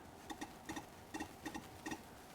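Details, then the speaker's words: Mercedes OM606 turbo diesel fuel injector on a bench pop tester: crisp, sharp double chirps about twice a second on each pump stroke, clean and consistent. Opening pressure is slightly high for a turbo diesel, but it fires very well with a good spray pattern. "know, I just love the sound of the release pressure on these fuel injectors when they pop. I guess that's why we call this the pop tester. Now this one's firing just slightly high for a turbo diesel, but it's firing very well."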